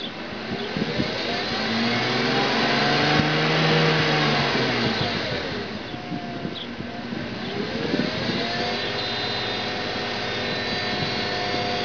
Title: BMW 328i E36 whining noise from engine bay